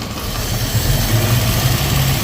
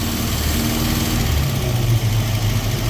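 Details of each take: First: Datsun roadster EFI conversion, idle air control valve set to about 50%: fast, even idle well above normal with no dip or hunt because the valve admits too much air; trigger noise from distributor near spark plug wire; valve being turned down. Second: Datsun Roadster with EFI conversion, idle control valve test, trigger noise from distributor near spark plug wire: steady low engine hum drops from a high idle to a lower, even idle as idle control is adjusted toward normal.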